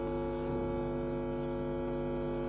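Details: Power amplifier with only one side working, music playing into two speakers: the dead right channel gives only a steady low mains hum and no music.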